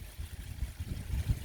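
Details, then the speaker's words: DIY bakki shower pond filter with 75 kg Alfagrog, extra media bag in the bottom tray to catch fines and quieten flow: soft, low gurgling trickle through media trays, quiet and even; flowing normally. "i've put put that on there in case there is any more fines coming through and that'll help filter it out plus it does quieten it right down"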